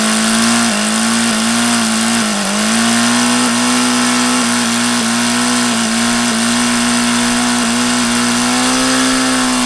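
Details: HP VT 21 rotary-valve four-stroke engine, troublesome since day one; after priming with throttle closed it starts but won't stay running. High drone dips and surges every second, never settling to idle, running rough, worse than before; owner plans plug change.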